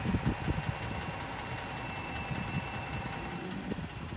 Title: 2018 Ford f-150 3.5 ecoboost loud clunking/clicking noise on cold start